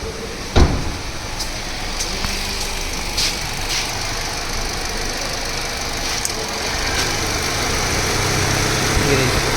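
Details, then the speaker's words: Car vibrating when AC switched on, radiator fan coupler reconnected: steady idle with low buzzing rattle building as fan kicks in, vibration felt in steering wheel, absent with fan unplugged; radiator fan motor vibration. "देखो, शोर शुरू हो गया है। आप आवाज से ही बता सकते हैं कि यह कंपन कर रहा है क्योंकि मैं इसे स्टीयरिंग व्हील पर महसूस कर सकता हूं , भले ही वीडियो में इसे देखना मुश्किल हो।"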